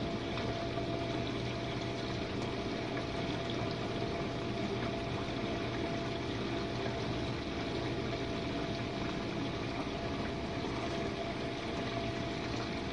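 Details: Jenn-Air dishwasher on Quick Wash cycle with no heat dry, one Cascade pod, main wash after detergent dispenser opens; earlier had low recirculation noises from suds. Steady even hum with water swishing, no grinding or rattles. Normal wash pump.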